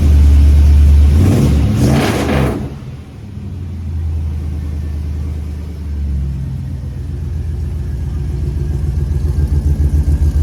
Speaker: And we got to hear it run. That's awesome.